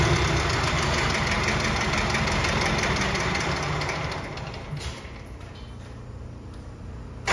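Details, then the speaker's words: Bobcat 543 with a 2-cylinder Isuzu 2AA1 diesel, restarted slightly warm on a new battery: fires after cranking, runs rough and uneven a few seconds then dies back; hard start, low compression suspected, compression test planned. "we have a problem here it's kind of a hard start"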